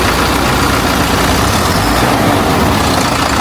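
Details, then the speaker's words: Hino J05E diesel truck engine after injector replacement, before QR-code injector calibration: even, dense idle rumble with no sharp knock; engine knock gone and RPM fine, healthy idle. "ඒ වුණාට engine එකේ සද්දේ engine නොක් එක හරි ගියා. RPM එකත් අවුලක් නැහැ."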